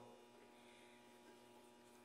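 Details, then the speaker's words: Admiral heavy-duty washer, about 20–22 kg, being reassembled after seal and bearing replacement with suspension springs not yet all connected: quiet steady hum with faint buzz as the wash cycle starts and the coils energize normally. "para el lavado le vamos a poner aquí donde dice cotos al inicio del ciclo y le jalamos a ella se activaron las bobinas como se alcanza a oír"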